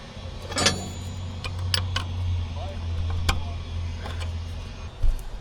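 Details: Old Grove crane diesel, unused for over 10 years, cranking after fuel bleeding with fuel now dribbling out: low heavy drone with sharp clicks, but it never catches. Owner suspects a stuck fuel shutdown, since fuel reaches the rack.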